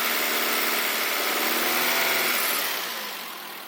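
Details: Engine at idle running evenly with a light, fast tapping mixed in. Owner is unsure whether it is rod knock or valve adjustment; no clear cause.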